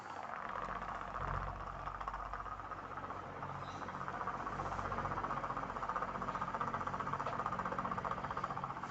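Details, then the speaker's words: Household electric fan running with a steady whoosh and rapid, regular clicking of about four knocks a second, recorded close from behind; abnormal mechanical fault, not electrical. "tetapi coba diperhatikan putarannya itu berbunyi jadi itu tidak normal yang normal itu bunyinya mulus ya tidak kletek-kletek seperti ini"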